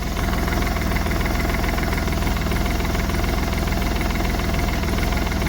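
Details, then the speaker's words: Smart Fortwo 450 CDI 0.8 l diesel just after turbo cartridge replacement with three turns of preload: even quick chug at idle, no whine or scraping from the turbo; turbo spinning with oil pressure, idle healthy. "Yeah, turbo is spinning. Turbo is spinning. It's got oil pressure by now."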